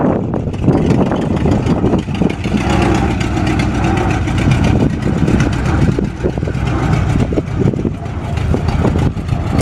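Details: 1947 Ford fire truck showing 9,300 miles, hard starting; low rumbling engine settled into a steady idle with slight uneven chuffing, runs fine once started; normal idle.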